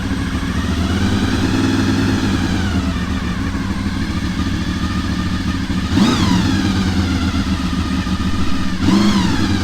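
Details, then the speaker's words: Honda VFR800 motorcycle started right after an oil and oil filter change, oil level about halfway in the sight window; oil light flashed on briefly: even idle picking up cleanly on two quick throttle blips and settling back, no knocks; normal idle and revving. "Let's give it a start. See how she goes, see what she sounds like."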